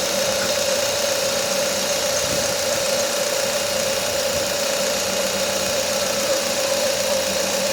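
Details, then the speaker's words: Engine idling smoothly with a steady, piercing squeal from the accessory belt slipping on its pulleys; rubbing a bit of candle wax on the belt fixed the noise. "Um barulhinho chato na correia de acessórios dessa corre. Eh, vou ver se um pedacinho de vela resolve."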